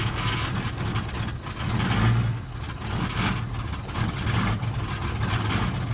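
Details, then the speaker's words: 1978 International Scout II, Nissan SD33 diesel, just after a cold start: heavy, lumpy, stumbling idle with a miss and smoke that clears as it warms; owner suspects some inoperable glow plugs and poorly spraying injector nozzles. "when you first start up and it's cold it has a little bit of a miss and smoke some and then it clears up"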